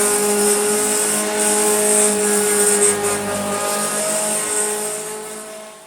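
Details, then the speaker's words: Vintage Hoover Junior (Dirtsearcher) vacuum cleaner motor: loud high whine with rough shaky buzz and heavy vibration winding down, caused by a bent armature; fixed by fitting a new pattern-part armature. "because that's awful that turned out to be the whole armature the whole embouchure was bent"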